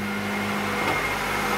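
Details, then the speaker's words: Honda/Acura car that wouldn't start: after its distributor's internal ignition coil was replaced, it starts and idles with a smooth, steady low hum and no skips, ticks or stumbles, running normally. "boom it starts so that's how you change the coil"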